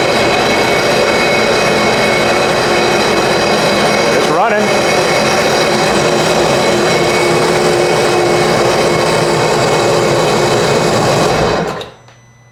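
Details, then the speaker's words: Flooded 2019 Sea-Doo jet ski engine reinstalled after hull repair, first start, oil added through plug holes against rust: steady even engine note about eleven seconds, no knocking or tapping, then shut off; normal running, no knock. "looks good to me I didn't hear any knocking or anything"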